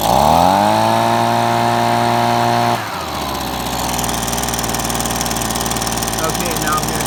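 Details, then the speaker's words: Two-stroke engine, idle screw turned to the left: high steady buzz drops to a slow, lumpy idle with loose firing; idle speed set too low. "I'm going to turn it to the left. And you can hear it starting to run a lot slower. Now, yeah, you don't want to run it too slow because otherwise it will stall out."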